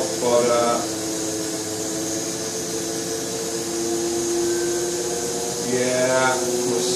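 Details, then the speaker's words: BMW E31 840Ci EV conversion, first bench run of drivetrain: steady whining gearbox pump that wavers and surges, sucking air after priming because the torque converter fluid was drained during disassembly; low fluid. "air darn it whoa okay something's happening um when i had the system apart i made the mistake of draining the fluid out of the torque converter"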